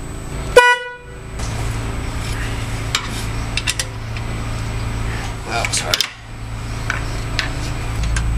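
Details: 2009 Toyota Camry, under a year with owner, high-note horn sounded alone with low-note horn unplugged: single short honk with thin, reedy tone and little body; this high-note horn is going bad, replaced with FIAMM horns.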